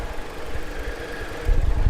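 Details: 2007 Jeep Compass Sport, four-cylinder with CVT, about 229,555 miles: low, steady idle hum with an even beat and a brief louder surge near the end; engine sounds smooth.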